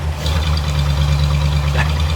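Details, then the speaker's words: Barn-find Ford flathead side-valve V8 sat 30 years, first run on hand-fed fuel: deep steady low rumble, even beat, no overhead-valve clatter as valves are down in the block; smooth healthy normal idle. "that's so nice isn't it isn't it so deep what about that mean you see being a side valve all that clap trap that you get was overhead valve you don't hear it you don't hear it cuz it's all down in the Block"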